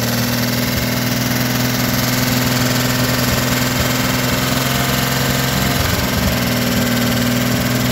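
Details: 1957 Chevrolet 210 V8, revived after sitting since 1991, idling on a rigged gravity-fed fuel bucket to the carburetor. Steady, fairly even low burble with no knocking; it keeps running fine. Normal idle.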